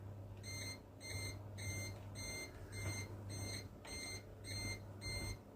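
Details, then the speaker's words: Desktop PC on an Asus M5A78L-M motherboard, CPU temperature climbing past 60: repeating high-pitched beep bursts, about one and a half per second, over low fan hum; the board's CPU over-temperature alarm, later silenced by button. "I can shut the alarm off. I can press the button. I stopped it. I don't want to hear that beeping all the time."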